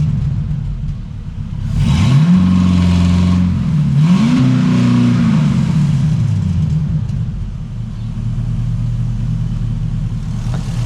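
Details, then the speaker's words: LS-swapped Trans Am with new exhaust and block-off plate: deep V8 burble, two smooth revs dropping back to even idle, earlier tick going away, oil pressure up; engine sounds good. "Sounds good, dude."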